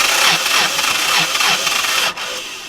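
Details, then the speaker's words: Northern Lights 12kW diesel generator starter on a boat, battery and starter voltage good during cranking, filters checked: steady sluggish compression chuffing about three a second at roughly 3/4 normal speed, no catch; starter at fault, replaced. "we've checked everything else in the system and what we're unhappy with is it cranks slowly"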